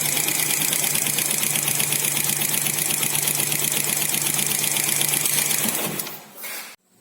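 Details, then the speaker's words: Four-stroke motorcycle before valve clearance adjustment: crisp metallic ticking about four per second over a steady idle hum until shutdown; excessive valve clearance causing tappet tick that needs adjusting. "Oke, mari kita dengar suara mesin yang membutuhkan penyetelan celah katup. Saya kasih lihat bunyinya. Terdengar sekali ya, dentingan logam."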